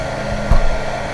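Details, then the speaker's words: Benning 1300 W 48 V 25 A industrial power supply, mains connected with no modification: soft click, then a loud, steady low whoosh, even and unwavering; cooling fan running normally at startup. "By this, just connect the power. It's getting loud, of course, it's power supply."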